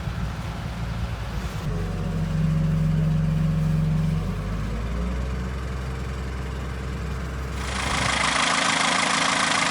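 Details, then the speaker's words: 30-year-old sailboat diesel after a full rebuild that cured 11 years of oil leaks: even diesel clatter at a steady idle with no irregular knocks, then a hiss of water or wind at the end. It sounds good. "For 11 years we've been leaking oil everywhere, and now it isn't. The map, it looks well. It looks good too, yeah. Yeah, and sounds good."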